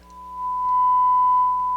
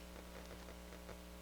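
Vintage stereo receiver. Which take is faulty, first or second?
second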